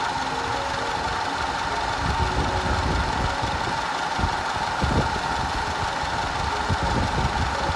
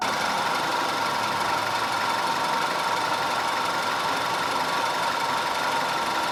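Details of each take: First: 2010 Audi A5 2.0 TFSI Cabriolet with codes P0304, P0300 and P130A. Uneven idle with an irregular stumble and occasional knock from a constant cylinder 4 misfire plus random misfire, later fixed. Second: 2010 Audi A5 2.0 TFSI Cabriolet after repair of random and constant cylinder 4 misfire (P0300, P0304, P130A): steady, even idle with a smooth whirring hum and no stumble or missed beats; running cleanly.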